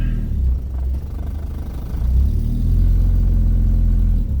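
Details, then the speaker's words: 1982 BMW 302i with a 5-speed manual and a temporarily patched exhaust, pulling away under throttle after backing out: a deep, uneven, blatty rumble swells, sounding like a jalopy. Exhaust leak. "Sounds like a jalopy with that leaky exhaust."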